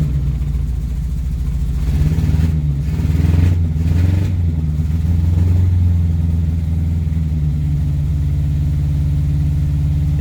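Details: Morris Minor 4-door running on a jump pack after a new ignition barrel, with a bit of choke: deep, even petrol engine note rising smoothly with a rev blip and settling to a steady run; running fine.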